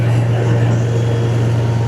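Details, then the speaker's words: Vacuum truck at low revs, gate valve engaged to build pressure with no suction: deep steady drone holding even as the pump loads up, no knocking or rattle; vacuum gauge building; vacuum pump loading normally. "You'll hear the machine start to load up, but there's no suction here right now. Uh a good indicator is your vacuum gauge will start to build pressure."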